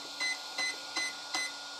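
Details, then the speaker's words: RC car ESC being programmed without a program card: the ESC was powered on with the program button held, and it beeps four short, even, high beeps to confirm value 4 (3.x volts per cell) for item three, low-voltage cutoff. "i'm supposed to let go of the program button when i hit item three so when there's three beeps so turning it on still pressing it"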